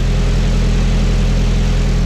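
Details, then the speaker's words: Nissan 240SX first start after a fuel tank and pump swap with new OEM rubber lines, recorded from the rear. Smooth, even idle with no miss or knock; the engine runs normally. "All right, here it goes. Sounds amazing. Looks amazing. Spot on perfect."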